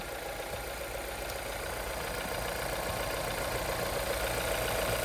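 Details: 2015 Volvo XC60 after timing belt job (belt had dry-rot cracks at 60,000 miles): quiet, smooth idle under a faint hiss, no ticks, knocks or squeals; job called a success, idling cleanly.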